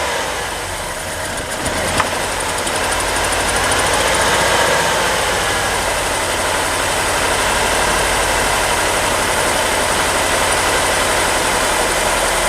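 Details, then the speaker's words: 1987 Ford Thunderbird Turbo Coupe, sat over 18 years, fuel pump primed: catches into loud busy idle with uneven lumpy undertone, smoking; runs but not well. Rough running. "It's not running very good, but it's running."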